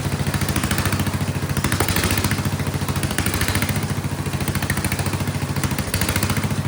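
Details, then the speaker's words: Vintage Kohler motorhome generator, big flathead single, after removing the carburetor float spring, running a shop vac as load: loud thump about three and a half beats a second, holding fairly even without hunting; load mostly stops the surging. "I've ran it a couple times, and I'm gonna put some load on it. And then it seems to also, that makes it stop surging, it seems. It is loud though."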